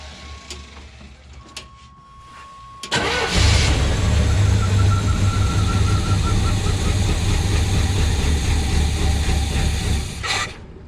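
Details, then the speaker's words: Suburban that sat five years, ran and drove when parked: after dash chimes the starter cranks steadily at about four turns a second but never catches. No fuel is reaching the carb yet; either the pump isn't working or it hasn't picked up yet. "Yeah, we're not getting gas in the carb yet. So either pump's not working or we're just not picking it up yet."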